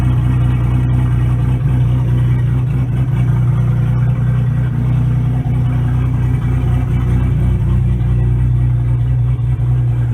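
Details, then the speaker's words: 2002 Pontiac Firebird with turbocharged 3800 V6, small muffler (only one that fit): steady deep, boomy idle drone, smooth with no knocks or misses; healthy engine, just a loud exhaust. "I guess I should start it try to hear it's too loud that's only muffler I could fit in there"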